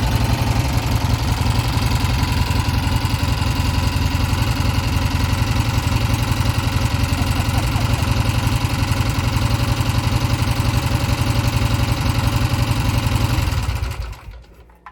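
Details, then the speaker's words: 1971 Triumph T120 650cc twin after pilot jet work and mixture adjustment: steady, even low idle beat for about thirteen seconds, then clean shut-off; healthy, running like a top. "It's running like a top. And that's the effect of Pilot Jet."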